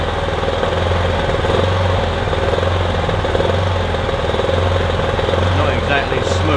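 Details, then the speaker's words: Kipor Sinemaster IG2600 digital inverter generator, just over 2 kW, stored in a garage for years, running on choke after spray was put in; constant low drone with a lumpy, uneven beat; rough running, owner hopes it smooths out as it runs. "But it's running at least. might smooth out as it runs."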